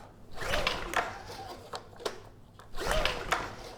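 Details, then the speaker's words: Honda EU2000i generator with carburetor needle and seat holding fuel and ignition switch bypassed: two recoil pulls, each a short whirring rattle with no firing. Suspected no spark or, more likely, a carburetor problem; not confirmed. "So, let's see if it starts. And yeah, we're not getting any signs of life."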